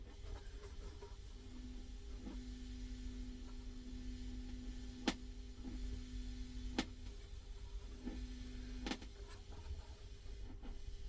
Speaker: But so you know, this you do get a bit of hum on the transformers now and again. I've seen amps much younger than this with hums.